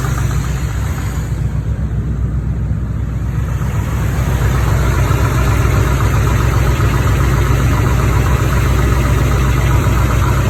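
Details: 43-year-old Chevrolet Corvette 350 small-block with 48,000 miles, idling with a light, quick tapping of about four a second from the driver's side, also felt in the valve cover; the passenger side is quiet. Valvetrain tick, cause unconfirmed.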